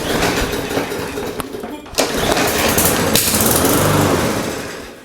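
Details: Lawn mower engine that sat for several years, sprayed with carb cleaner: ragged bursts of firing, roughly three or four pops a second, catching only while the spray lasts; fires on fluid, carburetor problem suspected, not confirmed.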